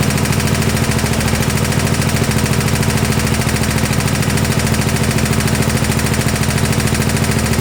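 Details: 1972 Gravely 816 tractor, Kohler Command 18 engine, first run: heavy steady metallic knocking over rough running; engine blown up, seemingly worsening as it ran.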